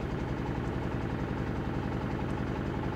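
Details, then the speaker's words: 2000 Toyota Celica GT 1.8L idling in Drive/Reverse under load with an uneven, lumpy beat; cylinders 2 and 3 misfiring (dead misfire on 2, weak spark on 3), codes P0302/P0300. "see number two and three are misfiring at the moment now so that's this is one method to find your potential misfire on cylinders 1 through four pretty much put it to put it under load"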